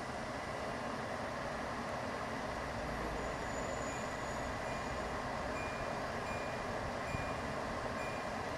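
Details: LG portable air conditioner back on low fan F1 with the temperature set at 30, so the compressor is off. A steady, soft rush of air with no rattles, ticks or pitch changes; normal operation.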